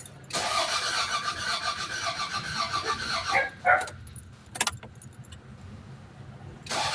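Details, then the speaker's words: 1996 Toyota Corona with a new computer box just fitted: starter spins the engine steadily about three seconds but it never fires; crank no start because the relay was not connected. "Kakatapos lang naikabit na namin kanina yung pina ko ayaw pa rin siyang mag-start dahil d sa h pala nakakabit yung relay"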